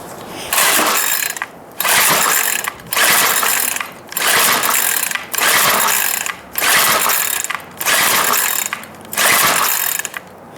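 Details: Free Cub Cadet CC4105 curved-shaft 4-cycle string trimmer: repeated pull-cord strokes about every second and a quarter, spinning over with no firing at all; cranks but won't start.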